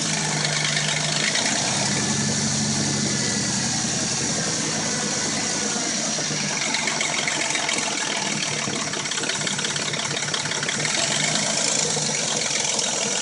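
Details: Dodge Intrepid at warm idle: a busy metallic clatter that stays steady with the revs; the rattle and a knock occur only when warm and it sounds new when cold; possibly the timing chain, unconfirmed.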